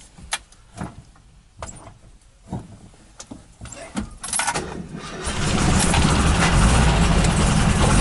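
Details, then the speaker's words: 1979 VW bus with twin 44 carb conversion, big heads, Scat 35 cam, 2100 kit and electronic ignition, sat about a week, gas pedal pumped twice: clicks, short crank, catches promptly into even idle; oil light blinks briefly; healthy cold start. "And she cranks right up. So the oil light blinked there a little bit."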